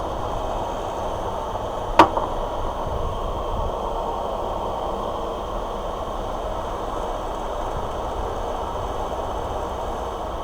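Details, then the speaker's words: Parlux 2800 hair dryer after lubricating its dry, stiff motor: even steady airflow rush, no rattle or squeal apart from one early click; noise gone, motor runs smooth. "tem nada demais gente era apenas uma lubrificaçãozinha aqui ó que o motor tava bastante ressecado serve vocês aqui ó tô só joguei um pouco de lubrificante aqui ó e ele não tá fazendo mais barulho nenhum"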